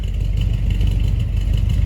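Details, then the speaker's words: 1983 Chevy Silverado V8 after hitting a deer, cold idle through loud mufflers: deep, steady burble with even pulses and no knock or rattle; the vibration and rattle only appear once warm. "it it doesn't start the vibration thing until it warms up it's kind of weird"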